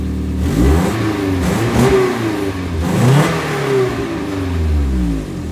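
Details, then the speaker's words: Nissan 300ZX Z32 with KA24DE swap, before exhaust replacement: engine revved twice with coarse, loud, raspy drone; exhaust leak in center of car traced to a rotted resonator. "But before I put it on, I'll give you guys the before. You kind of hear it too. Ugh, sounds so bad."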